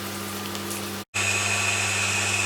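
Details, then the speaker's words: Stuart Turner shower pump newly fitted to cure intermittent hot and cold electric shower, heard through a plywood panel: steady low hum with soft hiss of water flow, no rattles or surging; barely audible, good pressure; normal running. "You can barely hear the thing running, and there is plenty of pressure for a shower,"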